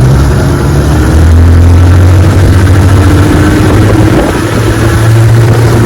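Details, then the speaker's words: 1961 Evinrude 18 HP outboard on a 14 ft boat, cold morning: loud drone with revs climbing and holding high while the boat doesn't move; prop hub spinning/slipping, getting worse after ten minutes. "watch this when I take off you hear the motor continuing high RPM but the boat is boat ain't moving"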